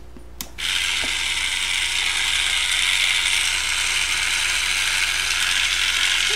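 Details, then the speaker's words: Roomba 4000-series drive gear motor before cleaning: steady high whirring with gritty crunchy rasp; gears sound rough, probably dirty inside. "a a little crunchy sounding and it's probably pretty dirty inside"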